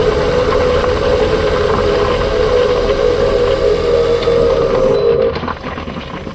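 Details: 2021 Ford Kuga PHEV with newly replaced clutch damper/flywheel: steady mid-pitched whine over the running engine, fading as engine noise drops; cause unknown.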